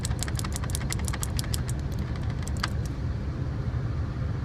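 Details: 1978 GMC Diplomat Class C motorhome engine after dual fuel tank switch short repair, high idle then normal idle: low even rumble with nearby rattle, no stumble or cut-out; idles normally.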